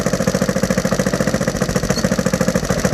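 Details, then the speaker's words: Rebuilt Honda XR100 single-cylinder, warm, idling with choke on: steady idle with uneven exhaust popping, slight backfire; owner suspects slightly off timing or back pressure from a two-stroke exhaust on the four-stroke. "There is a slight backfire, so the timing could be slightly out, but it could also be because I'm running this two-stroke exhaust on a four-stroke, and the back pressure could be a slight back pressure issue."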